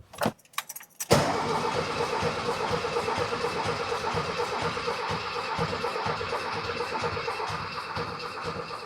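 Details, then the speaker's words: 1979 VW Super Beetle air-cooled engine, first crank after over 10 years sitting from a fuel issue, battery fitted: a brief jangle, then even cranking at about two turns a second, not firing; engine turns over freely and healthily. "Okay. Well, it's a nice healthy cranking engine."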